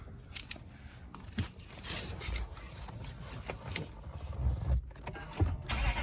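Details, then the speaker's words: 2008 Lexus GS 460 V8 from auction, rusty underside: loud, ragged rumble with uneven puffing and rasp as it revs; exhaust leaking badly at rusted connections. "it's got a lot of rust so the connections on the exhaust are bad it's leaking a lot"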